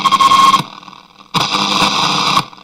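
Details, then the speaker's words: Sharp radio under repair, audio stage tested: two bursts of loud, even speaker hiss rise and drop cleanly as the volume is turned up. The audio output is working fine. "That sounds like that's working. It sounds like it is working."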